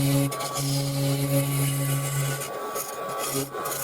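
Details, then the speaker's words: Record Power Coronet Regent lathe hollowing a cracked, wet vase (steam evaporating) with the number one hollower, not forcing: steady low buzzing drone with rough rasping scrape as the tool chatters deep inside; only very small shallow cuts taken. "Hear the vibration. Um so I'm only making really small shallow cuts."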